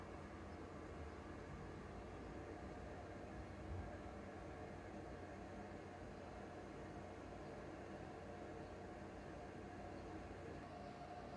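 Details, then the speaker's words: Used PS4 Pro, no disc inserted: steady even rushing roar from the cooling fan working flat out, some hard drive noise. Caused by dust buildup and dried thermal paste; cleaning and new paste follow. "Loud. There's no disc in there. It's just the fan, I guess. A little bit of the hard drive. Way too loud."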